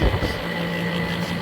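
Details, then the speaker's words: 2003 Kenmore R22 window air conditioner, dirty coils, hard-starting compressor, after about 5 minutes running with weak cooling: steady low hum with a constant loud tone; compressor noisy, owner hopes the bearings aren't failing. "You can hear that compressor. It's a little bit loud. Hopefully the bearings aren't going out."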